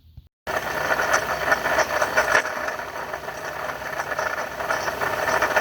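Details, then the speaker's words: 2012 Ford F-150, 3.7 L V6 Ti-VCT, at idle: dry, gritty whirring rattle riding over the engine, steady with the revs; worn water pump bearing with shaft play. "i have a bad water pump on my 2012 ford f-150 3.7 liter v6 wheel drive"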